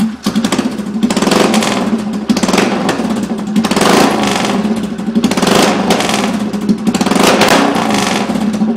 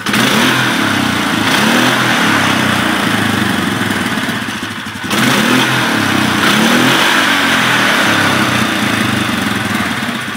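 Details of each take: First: 2011 Polaris Sportsman 500 ATV with exhaust removed: loud, raw, booming bark from the open header swelling with each throttle blip, trombone-like. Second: 2011 Polaris Sportsman 500 single-cylinder ATV, airbox top refitted after running with the filter exposed; two clean blips with even, muffled intake roar; normal intake sound.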